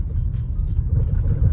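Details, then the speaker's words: Maruti Suzuki Brezza driving over bumps and a rough road, silent on smooth roads and the highway: dull low khat-khat knocks over the road rumble from the lower control arm, whose bush is believed cut; worn lower arm bush clunk. "ये जो खटखट बज रहा है ना यही sound है। इसी साउंड के चलते ना इसका लोअर आर्म खुलवाएंगे। वैसे तो भाई 100% कंफर्म है कि इसका बुश कट ही चुका है।"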